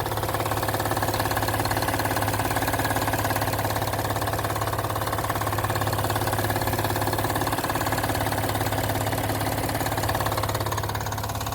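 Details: Acura TL at idle: even, rapid knock about two and a half per second over the engine hum, loud but with no performance drawbacks; cause not clear yet.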